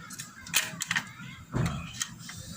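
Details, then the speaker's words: Portable gas stove after repairing a blocked, non-lighting gas supply and refitting the igniter bracket: sharp igniter clicks, about four in three seconds, with soft gas hiss, showing gas reaches the burner; normal ignition. "kalau sudah ada suara itu menandakan gas ini sudah sampai di sini"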